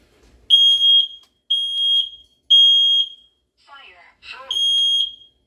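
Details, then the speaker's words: New Kidde combination smoke and carbon monoxide alarm, test/reset button pressed: one beep on press, then shrill high beeps about every second with a brief spoken warning; normal self-test, unit works. "test the units Electronics by pressing and releasing the test reset button you'll hear one beep on the but button push and you hear the following sequence of beeps and verbal works"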